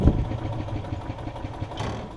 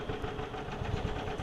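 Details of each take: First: Yamaha golf cart engine cranking on battery with the choke: slow even cranking with one sharp pop, a single firing, so only a little fuel reaches the cylinder; fuel starvation, main jet issue suspected. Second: Yamaha golf cart engine warm, after a carburetor bowl and top jet flush and air-fuel screw adjustment, driving under load: steady low chugging with even firing pulses, picks up cleanly, no missing or popping; normal running under load.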